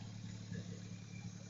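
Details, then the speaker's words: 1996 Nissan Maxima V6 after water pump replacement for coolant leak and grinding noise, following test drive letting tensioner fill with oil; steady even low hum, no ticking or rattle; sounds much better, normal running. "we got her together after taking it on a test-drive letting that up tensioner fill with oil sound a lot better than it did"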